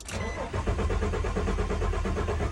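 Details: 2007 Nissan Pathfinder after battery replacement, aftermarket keys, security lamp on: even starter cranking about five per second, never fires; failed battery shorted BCM internally, partial communication causing immobilizer lockout; crank no start.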